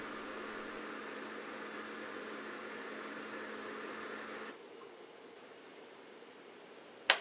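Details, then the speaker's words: Bosch dishwasher SHE4AP02UC/06, empty sump; steady low hum with airy rushing, then cuts off; drain pump runs continuously sucking air, showing board and pump work, stopping only with water; owner suspects loose sump lid. "this is an empty dishwasher and what we should hear is it's running the pump continuously and sucking air the whole time because it actually has no problem running the pump"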